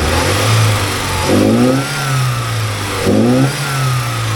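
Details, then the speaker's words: 1979 Porsche 924 after idle lowered, timing set by ear and warm-up regulator adjusted, giving two clean blips that drop back to steady idle with no stumble; best it has ever run. Normal revving. "so that's about the best I've ever heard this thing run and I think it's got just about right"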